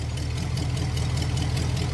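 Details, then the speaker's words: 1968 Pontiac ambulance V8 after sitting, 60 lb oil pressure: lumpy idle with a quick even puffing tick over the rumble from a small exhaust leak; it still needs plugs, carburetor tuning and a timing adjustment. "got a little bit of an engine the exhaust leak over there I ain't worried about"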